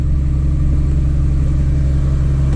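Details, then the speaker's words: 2003 Chevy Trailblazer LTZ 4x4 4.2 I6, 226,695 miles, first start after new valve cover and intake gaskets, plugs and coils to fix a P0305 cylinder 5 misfire: fired right off with a slight stumble, then a deep, even rumble. Normal idle. "wow fire right off stumbled a little bit"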